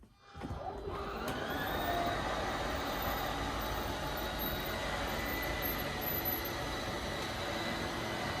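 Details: Schwintek RV slideout after Lippert replaced one side: steady, even motor whir with smooth pitch through the travel, no grinding or catching, faster than before; cold weather, so some cracking from ice on topper and tight seals.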